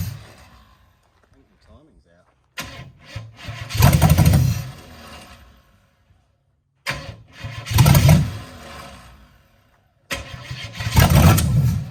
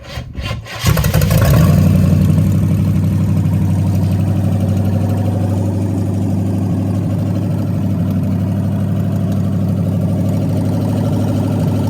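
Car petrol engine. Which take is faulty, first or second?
first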